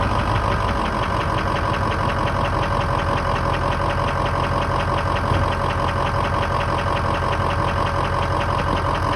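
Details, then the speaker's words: 2003 Ford F-250 6.0 diesel at idle: a soft, regular tapping of about three per second near the alternator on the right side. A mechanic placed it near the injectors or top of the pistons, so the source remains uncertain. "I'm getting a soft air knock like from where the alternator is. Basically, I'm hearing a soft knock coming around where the alternator is."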